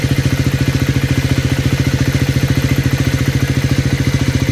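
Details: Cold start on a Triumph 400 single (Scrambler 400X or Speed 400): a fast, regular clattery beat, about three to four per second, over the cold idle. Abnormal engine noise, cause unknown.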